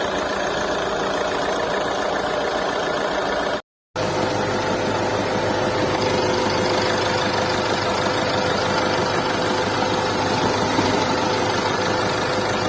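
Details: Mahindra XUV300 diesel at a steady idle with an irregular rough clatter running through it; the owner calls it an engine problem, and the sound is consistent with blow-by from worn rings or low compression.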